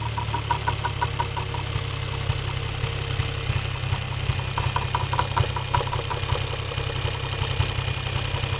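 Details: Toyota 1JZ-GTE VVT-i engine: sharp metallic knocks, about two to three per second, over a steady idle hum; internal engine knock.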